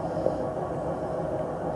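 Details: 6-year-old Samsung WW80J5555FWEU 1400rpm washing machine on fast spin, continuous low grinding rumble with no clear rhythm; owners suspect worn drum bearings, not confirmed.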